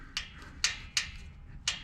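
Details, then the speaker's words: 1983 Porsche 911 SC, 3.0 L air-cooled flat six, engine off during valve adjustment, lower left cylinder nearest the tail light: four crisp metallic clacks in two seconds as the rocker is rocked by hand, showing valve clearance present. "I hope you can hear this on camera [snorts] and see it. You can hear the gap. That's me rocking the rocker"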